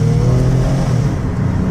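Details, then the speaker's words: 2016 Toyota Sienna L mobility van, 61k miles, driven hard on the highway to about 65 mph; deep, smooth engine note climbing with clean pull and transmission shifts with no knocks or slipping; normal acceleration. "so let's get the van on the highway my goal is to drive it hard I want you to hear the engine run hard I want you to hear the transmission shift"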